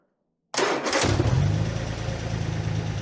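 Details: Armstrong Siddeley Special started after years off the road, makeshift fuel pump and tank: engine catches at once and settles into a steady, even idle at about four pulses a second, no stumbling; normal idle.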